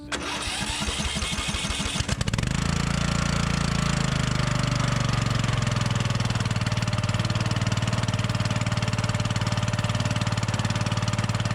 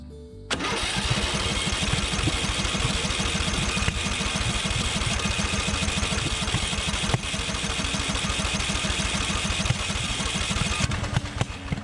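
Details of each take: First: Murray 42" riding mower after drying out the flooding: brief cranking, then a steady, even single-cylinder run with no misses. Normal running; the ignition switch is believed to have been the culprit. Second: Murray 42-inch riding mower with a suspected ignition fault giving inconsistent spark, retried after cooling about 20 minutes: ten seconds of fast, even cranking with only faint occasional pops that never catch; engine flooded.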